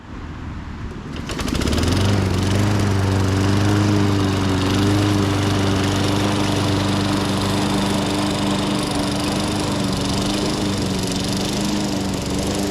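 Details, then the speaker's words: 1998 Ariens 21-inch self-propelled mower, VLV60 engine, after repairs and a screw backed out about two turns, mowing thick grass: steady, even high-rev drone with no stumbles or hunting; normal running under load. "some pretty thick grass but yeah not a single hiccup it's finally running right"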